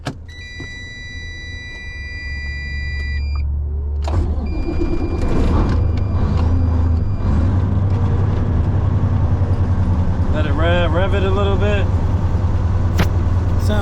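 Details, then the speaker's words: 2007 Freightliner Columbia with Detroit diesel, first start after fuel filter replacement: prolonged cranking before it catches and settles into rough uneven idle; owner suspects fuel recirculating, possibly air in fuel lines. "when you start the truck it's um it sounds like it don't want to start"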